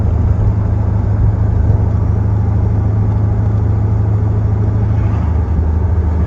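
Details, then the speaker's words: Fuel-injected Corvette V8 at idle after a short drive that went well: deep idle with a slightly uneven, loping beat of about two to three pulses a second, shaking a bit much; rough idle, cause not determined. "so here we are idling away i think it's shaking a little bit too much other than that it seems fine"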